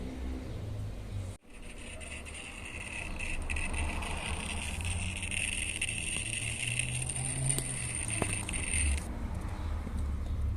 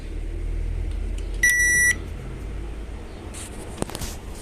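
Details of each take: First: Mabe microwave oven control board, plugged in, gives a steady high-pitched whine; a visibly swollen 470 µF 25 V capacitor on the board is found and replaced. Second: Mabe microwave that made strange noises from its control board, after replacing the buzzer and two capacitors: one clean half-second beep at power-on, then only a faint low hum; noise gone.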